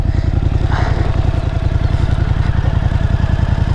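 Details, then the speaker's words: Overland vehicle's rear wheel, run in first gear while chasing a strange rear tyre noise that would not reproduce: even, low thumping pulses, about three or four a second, with no clicks or scraping. Rear wheel sounds normal. "ठीक है, यह चल रहा है, और यह कोई अजीब शोर नहीं कर रहा है, अरे?"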